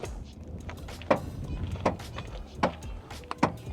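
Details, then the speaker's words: 10-year-old Subaru Outback power liftgate opening: short creaks repeat about once a second as the hatch lifts; owner attributes them to the push rod lifting the hatch. It still works and is being left alone; cause suspected, not confirmed. "It creaks like this push rod that basically is lifting the rear hatch. It goes but it's still working, and it is still working, and I want to leave it alone."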